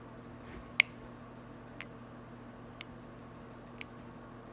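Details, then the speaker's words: Omnipod insulin pump pod during priming while communicating with the controller: four sharp, evenly spaced ticks about one per second in a quiet room. Normal priming sound. "It's communicating with the pod. I'm just letting you hear it. I like to wait until they actually are done communicating, so that way I can clean the area and start getting that."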